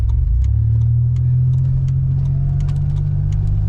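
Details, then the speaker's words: Supercharged Pontiac Bonneville SSEi while driving: steady drone with a faint whir not tied to engine speed, sounding rotational; tire or axle suspected, possibly leftover zip ties, not confirmed. "Yeah, that whirring. Sounds like something rotational. That's weird."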